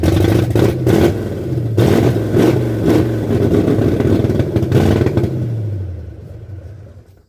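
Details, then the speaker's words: 1978 Ford F100 with new cam, first start attempt: even starter cranking, no firing, then winds down; no fuel because the fuel lines were connected the wrong way. "Got no fuel. Helps when you have the fuel lines on the right way."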